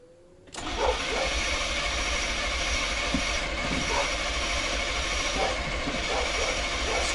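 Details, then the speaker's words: 1990 GMC 350 small-block V8 after engine swap, distributor turned 180 degrees for timing, still slightly off: starter spins at steady rhythm but never fires; cranks, no start. Ignition present and fuel smelled; cause unconfirmed. "nothing [Music] what the hell dude did I forget to plug my ignition in or something once again I smell gas but cripes I got ignition totally smell gas this kind of sucks"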